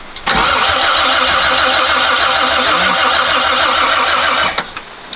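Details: 1972 Toyota FJ40 Land Cruiser, sat about 40 years: starter spins steadily for about four seconds without a single firing pop; crank no start from faulty ignition points and condenser.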